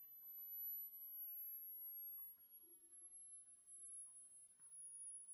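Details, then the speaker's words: Coil circuit the builder calls a 'Joule Thief' but says differs, with a 5 lb coil charging a capacitor bank from a battery. Near silence, then a faint, very high steady ring drifting slightly in pitch once the cap exceeds battery voltage: the coil is ringing in resonant mode. "You can see how many watts it's pulling and the voltage of that cap. After it gets above the battery voltage, you'll hear it start to ring."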